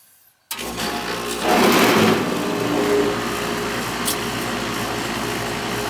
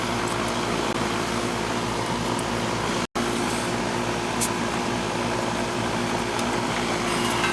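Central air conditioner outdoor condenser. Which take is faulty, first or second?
first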